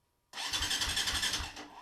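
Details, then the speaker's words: KTM 400 RFS electric-start engine after starter clutch sprag repair, cranking without starting: clean starter whirr with steady compression thumps, about three a second, no metallic clanking; the starter clutch engages properly. "this is after the um the sprag uh repair and I'm just going to hit the starter button I'm not going to have it start because I have to finish but rest stuff together but um this is how it should sound"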